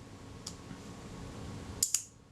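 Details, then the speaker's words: Kodak Retinette type 022 shutter after servicing, at the 1/8 s setting: two crisp clicks only about a tenth of a second apart; the slow speed is running fast, estimated within half a stop, and needs adjusting. "it it certainly sounded a little bit fast I would guess it's within half a stop"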